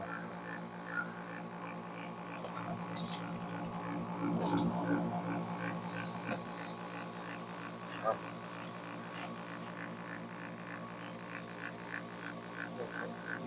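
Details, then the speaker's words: Battery sprayer pump motor; the motor's sound changes as the water runs low and pressure drops. A steady low buzzing hum wavers slightly as pressure falls. Normal pump motor running. "ஆமாம், தண்ணி குறையுது. இங்கே அழுத்தம் இல்லைல்ல, அதனால் அந்த அழுத்தத்துக்கு ஏற்ற மாதிரி அந்த சவுண்டு மாறிக்கிட்டு."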